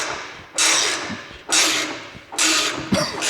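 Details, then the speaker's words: Car front suspension with a misaligned jack bolt, spring sitting offset in its cup, compressed under heavy force: rushing bursts with a sharp click about once a second as the spring binds and jumps. "eventually you can hear that clicking. That's when it's moving."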